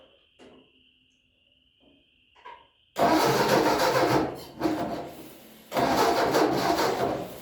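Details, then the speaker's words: 1966 Ford Mustang, first time out since getting it running, after weather swings: two long cranking bursts with no catch; cranks but won't start, new plugs found wet and engine running rich, owner suspects moisture in distributor. "So the plugs were really wet. Figured that. Clean them up. They're new plugs. Looks like it's been running a little rich."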